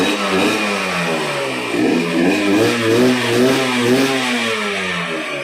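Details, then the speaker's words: Yamaha TZR150 two-stroke with slotted exhaust: blips up and down cleanly, pitch tracking throttle smoothly, no clatter or misfire; engine healthy. "ฝากพี่ๆช่วยกดติดตามไปด้วยนะครับเครื่องดีเครื่องเงียบๆเลยครับผม"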